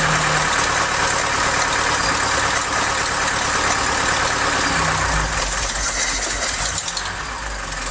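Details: Mk3 Ford Cortina Estate carburetted petrol engine that had been cutting out, heard while the throttle screw is turned up bit by bit. The idle is lumpy and uneven, with a loose, wandering beat near four per second that never settles. It is still idling rough.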